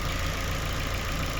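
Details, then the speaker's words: Daewoo Lanos 1.5 after head gasket replacement, cooling system bled and hydraulic lifters cleaned; warm idle with fan running, steady smooth beat, no knocks or misses, nothing bubbling or boiling; healthy normal idle. "У нас тут нічого не бурлить не кипить обраточка качає хорошо Все чудово"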